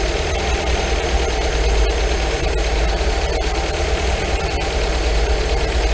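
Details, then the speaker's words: 1980 MGB with twin carburettors, tuned after head gasket replacement, tappets and timing set: steady even idle; lifting the carb piston makes revs rise slightly then settle gently after mixture screw adjustment, so idle mixture is correct. "there we go that one there is right there see you right you can hear it the reds just pick up and then just drop back down again very gently"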